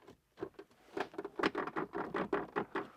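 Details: Smart #3 electric SUV: short, irregular squeaky creaks as the cheap-feeling centre console plastic is pressed, as happens when an elbow leans on it while driving; trim flexing and rubbing.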